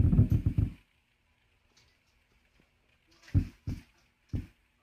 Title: Klipsch Flexus Core 200 popping noise on subwoofer. Replaced upstream and downstream components.